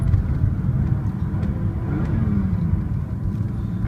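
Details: BMW E36 M3 engine making a steady, low muffled drone with no clear knock or tick; the source of the dull noise is unidentified.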